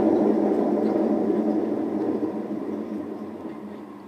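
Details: Hotpoint WM74 washing machine at full spin with a deep, gritty, train-like roar from worn drum bearings, already replaced once and needing changing again.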